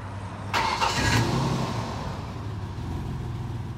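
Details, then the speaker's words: 2004 Ford Ranger starting attempt: harsh metallic screech-grind as the failing starter's pinion only partly extends and grinds against the flywheel/flexplate teeth instead of fully engaging, so the engine does not start; intermittent. "what's been going on is the starter gear hasn't been engaging the flywheel all the way and it's been making a horrible noise"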